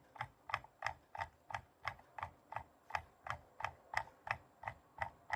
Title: Logitech g203 lightsync rattling sound